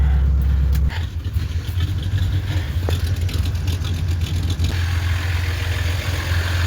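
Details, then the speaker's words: 1996 Mustang GT 4.6 V8, warming up after a starter replacement: rough running with a deep, uneven thud under the exhaust drone. Suspected rod knock, unconfirmed. "sounds like it's got a rod knock okay that does got a rod knock"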